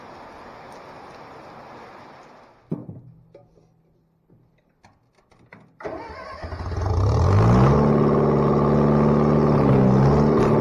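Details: Bobcat 642B skid steer after head gasket replacement: cranks, catches and settles into a steady, even drone rising smoothly with throttle, no misfire or knock; runs pretty good now. Normal running under load.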